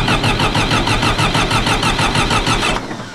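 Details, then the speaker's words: John Deere 450C dozer diesel after fitting a new gear-reduction starter, fuel just topped up: starter cranks evenly at about five pulses a second but never fires; owner suspects air in the fuel line or dirty connections. "H might got the air in the line uh let see I might have a bad connection too"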